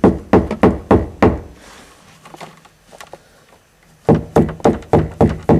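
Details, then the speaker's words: 1981 Mercedes-Benz 240D floor pan hammered after rust-hole repair: sharp hammer taps land dull and firm with no tinny rattle; the repaired floor sounds solid. "it doesn't sound like I'm pounding a rusty metal it sounds like it's absolutely solid"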